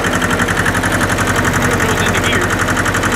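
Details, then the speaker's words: Hinomoto E230 diesel tractor, parked for years, just revived: even, steady diesel clatter at low settled idle with regular firing and no misses or knocks; engine sounds healthy. "see how let's see how low it idles that s really good Pur kitty purr no kidding"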